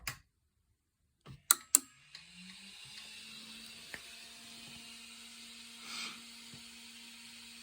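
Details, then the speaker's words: Federal Signal MCP amplifier (two 200W channels), bench-powered with 24 V DC taken from a 3D printer supply: sharp relay clicks at switch-on, then a quiet steady hum. Normal power-up, power light on. "So yeah, when I turn this on, you'll hear the relays click, and the power light right there will turn on, and these lights will come on for a second."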